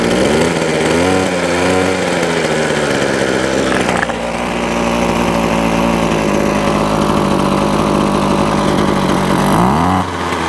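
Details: Ryobi two-stroke trimmer that would not run, heard after strip-down, service kit and pull-start refit, on fresh fuel with two-stroke oil: revs and settles into a smooth, steady buzz with clean throttle changes, running normally.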